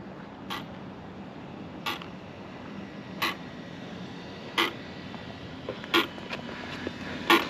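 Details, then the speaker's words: Arrma Big Rock RTR 6S with updated firmware, brand-new packs, stationary in low-voltage cutoff: sharp isolated motor clicks about every 1.5 seconds, otherwise quiet; unexpected clicking, possibly firmware behavior, unconfirmed. "what is that noise I've never heard that on low voltage cut the motor is sitting there clicking on low voltage cut that's funny I've never seen that before"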